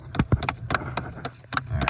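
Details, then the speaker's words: 2010 Chevy Impala, key on, blowing cold on the passenger side and warm on the driver's side: sharp plastic clicks about four times a second behind the dash from a binding blend door actuator, heard before replacement. "So, it's clicking right now, but um you can get in here."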